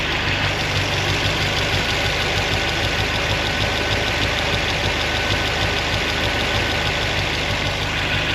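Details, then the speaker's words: 1976 Corvette V8 still warming up after fixing binding roller rocker arm trunnions, the cause of the earlier excessive valvetrain noise: an even idle with a light, quick valve tick under a steady rumble. This is normal mechanical valvetrain noise. "I could already tell a difference in the what sounds like normal mechanical valve train noise as opposed to something that's not supposed to be"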